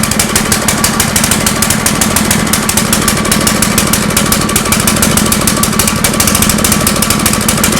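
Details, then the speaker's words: Generator running on a homemade tri-fuel conversion kit; fast, uneven pulsing beat with a ragged, unsteady note, never smoothing out: rough running. Owner suspects the hose's tiny inner diameter restricts fuel flow; unconfirmed. "all right does it work yes is it pretty terrible yes I think the main issue is this hose is Tiny on the inside I think this is our main restriction right here"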